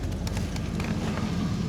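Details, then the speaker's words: Holden VN SS with fresh fluid, idling shortly after a ticky cold start: short burst of low, steady idle with no ticking or knock, quiet and settled; normal idle. "Ah, this sounds nice and quiet, doesn't it?"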